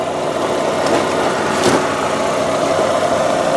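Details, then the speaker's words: 1998 Saturn SL1 with 126,972 miles, started cold, heard from underneath at the engine and transmission: even, quiet idle with a steady hum and no knocks or ticks, healthy engine. "And as you can hear right now, it sounds fantastic. But this is just a great, reliable little engine, I gotta tell you."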